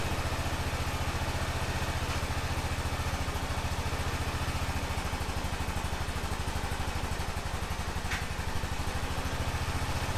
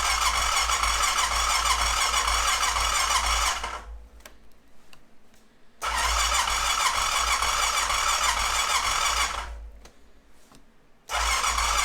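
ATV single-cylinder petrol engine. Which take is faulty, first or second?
second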